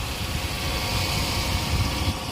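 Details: 2005 Kia Spectra just after alternator replacement for not holding charge, belt retightened: steady low idle with even rumble, no knocks or squeals; engine sounds healthy.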